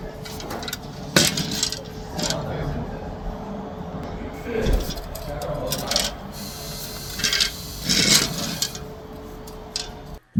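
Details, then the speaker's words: Old Toyota Prius damper (clutch-like part) removed and turned by hand: irregular metallic clinks and scraping from loose internal parts; replacing it did not cure the car's noise, and cylinder 4 misfire was later found. "La voy a girar. Miren, y escuchen el ruido. Este, se mueven estas partecitas de adentro, estas y hacen mucho ruido."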